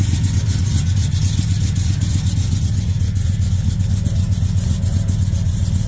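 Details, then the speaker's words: Truck engine with busted spark plug still fitted: uneven idle with dull knock about every quarter second, clanking near exhaust, engine shaking; runs better but still knocks, spark plug suspected. "still clanking up there yeah the exhaust with the motor shaking it's a drive could be still sounds like it's got that knock though I feel like that spark plug is definitely a problem"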